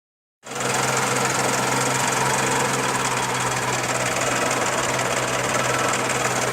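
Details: Charade engine at steady idle with a fast, somewhat irregular knock around three to four per second over a hum; source of the knock unknown.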